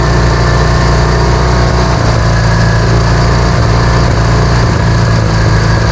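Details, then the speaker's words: Vintage Hydra-Mac mini skid steer, after cleaning the ignition points: loud, steady, fast run that holds a high idle without settling; throttle definitely sticking; high idle from sticking throttle. "Throttle's definitely sticking."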